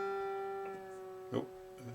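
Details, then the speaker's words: Ibanez Artcore Expressionist AG95QA guitar with new D'Addario flatwounds, 3+3 headstock: held note with a sudden sharp ping while tuning the G string, likely binding at the back of the nut; planned fix is relieving the nut back and lubricating the slot. "so I noticed when tuning the G string that made a popping sound ping sound and that's because it's probably binding in the back of the nut here that's not uncommon with D and the g especially on these three plus three designs"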